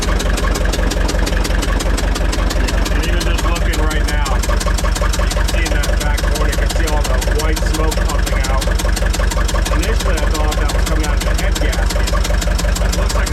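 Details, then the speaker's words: Gehl 6635 SXT II skid steer diesel, smoking, with blow-by strong enough to push oil out of the valve cover and throw a cover off; compression only about 150 on cylinder one: coarse, uneven, labouring idle from low compression and heavy blow-by. "looks like it'll idle for me but it's not happy about it yeah you can even hear it it sounds it sounds"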